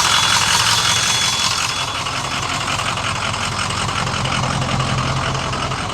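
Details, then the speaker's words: Long-sitting diesel bus with old fuel, with low oil pressure suspected earlier: even, steady diesel clatter at idle with a constant rumble, no hunting or missing; running well. "the cowling on it's actually running well"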